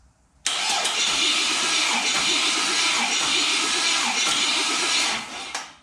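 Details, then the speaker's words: LS LM4 V8 engine out of vehicle, intake manifold off, during compression test with starter: engine cranks sluggishly and unevenly, no start, reading 112 psi; slow cranking blamed on weak battery, about 120 psi with a stronger one. "i think the engine's cranking a little slow i'm going to get a battery that's a little stronger and try cranking it again"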